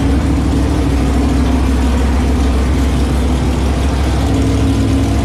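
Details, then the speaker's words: Newly built 408 small-block Mopar V8 with flat-tappet cam during break-in, HEI ignition: steady deep idle, any tapping now barely audible; earlier ticking traced to the header tapping the oil pan, engine sounds healthy. "i don't hear it at all you can hear it but it's not as bad it's because the exhaust like it's it's a little bit of tapping you you can you can't hear it unless you're like you know it's there"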